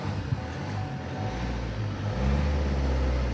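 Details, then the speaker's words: Vauxhall Insignia 2-litre, 104k miles, some service history, six-speed, idling: steady low diesel rumble, even with no knocks or rattles. Starts and drives lovely and sounds healthy. "certainly sounds healthy they really good on fuel le as well I always find nice drive six gears not the best gey of change but it's a Vox all"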